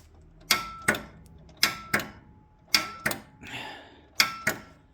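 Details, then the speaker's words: 1971 Massey Ferguson 12 lawn tractor left overnight after cranking fast without firing: next morning sharp double solenoid clicks about once a second, starter never turns or engages. Owner unsure whether the starter was damaged and suspects a dirty carburetor caused the no-start. "So I left it overnight, came back the next morning, and get nothing but the solenoid clicking."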